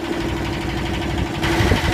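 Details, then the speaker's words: Yanmar SB12 marine diesel after fuel line repair, warmed after about 40 minutes' running, now in forward gear under load: steady, even firm low thump with no misfire or stumble; pulling strong, healthy. "It's in gear now, forward. Seems to be pretty strong."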